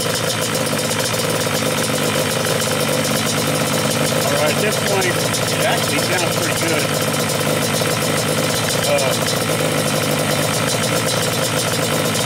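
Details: Yamaha Banshee two-stroke twin, stock carbs at baseline: air screws 1 turn out from seated, idle screws 2.5 turns in from contact. Steady, even burble with no surging or misses: normal idle.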